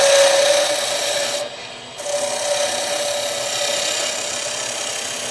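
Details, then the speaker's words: Skew chisel turning a tapered leg on a wood lathe, deeper cut to remove wood: hissing, raspy cut with a high whistle that drops out then returns louder as heavy force on the bevel makes it rub hard. "When you hear the high-pitched if you can still hear it, I don't hear it like I used to. Uh but that's because I'm taking a deeper cut and trying to get rid of wood and it's putting a lot of force on the bevel."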